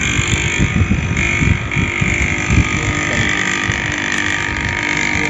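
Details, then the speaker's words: Manual AC compressor started directly: steady, even low rumble with no knocking or rattling, drawing about 6 amps; compressor is healthy. "और ampere जो है लगभग 6 ampere कितना ले रहा है पा पॉ समथिंग ले रहा है यानी ये कसर सही है"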